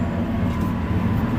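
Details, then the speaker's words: Restaurant cooler just plugged back in for thermostat calibration: steady airy evaporator fan drone runs continuously with no compressor hum underneath; compressor not running because the thermostat is set too warm. "compressor is not running. So we're gonna go ahead and turn the thermostat up."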